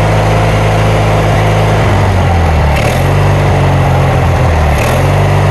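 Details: Kohler Magnum 20 engine's first start after repairs, run from a temporary gas tank with the carburetor just refitted and the choke left on (choke cable frozen). A loud low drone sags and picks back up every couple of seconds: surging, carburetor needs adjusting.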